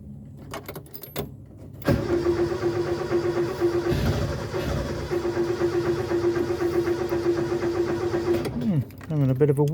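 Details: Mk1 Ford Escort with carburettor, unrun for over six months: catches after cranking, runs a rough uneven idle for several seconds, then sags and dies; stalls at idle.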